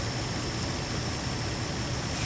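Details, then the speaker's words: 2003 Infiniti G35 3.5 litre, after about 20 minutes running following coolant crossover pipe and spark plug work: airy hiss with a thin high tone over even idle; vacuum leak at PCV valve, likely O-ring, fixed by tightening the PCV valve. "Got what sounds like a vacuum leak right around this right around that"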